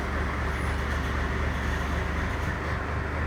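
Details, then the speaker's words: First Gen Cummins diesel idling after the fuel was turned up: deep, steady clatter with an even beat and no hunting, sounding about stock on fuel now; normal idle. "that's a lot better I'd say that's probably about stock right now"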